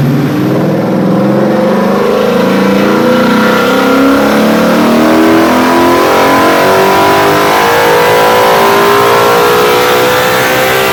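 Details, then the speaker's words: 2001 New Edge Mustang, originally V6 with manual transmission, now with a Coyote Aluminator crate V8 and Cobra Jet intake, dyno run: clean, steadily rising pull toward about 8,000 rpm with no flat spots or breakup; healthy V8 making full power. "not bad about what we were kind of expecting as far as what the crate motor does from one of these guys"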